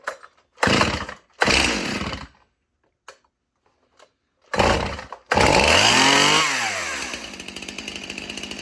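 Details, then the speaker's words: Stihl Farm Boss chainsaw, chain on the wrong sprocket, not held wide open: short revving bursts with a harsh rattling chain clatter over the engine. "That is the wrong sprocket that chain is setting on. That's why I don't want to hold it wide open because it'll mess something up."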